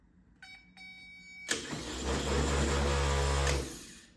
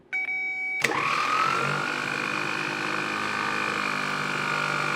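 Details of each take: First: 1970 Triumph TR6, a donated, reportedly freshly rebuilt K&P Electrics starter: a few short clicks, then strong steady whirr holding pitch two seconds before winding down; healthy starter, sounds much better. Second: 1970 Triumph TR6 starter motor bench-tested off the car on a good 12 V battery; rising whine then sagging, wavering pitch as it drags and seizes; owner suspects internal corrosion, will clean or replace: starter binding.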